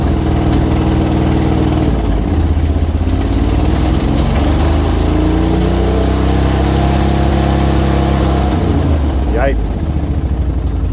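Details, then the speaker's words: Square-body Chevy C-10 salvage-yard truck at idle with throttle input: rough, stumbling idle with one cylinder dropping in and out, plus a major exhaust gasket leak; it stalls and has no power to pull forward. Engine misfire. "There's a miss. You hear that? There's a cylinder going in and out."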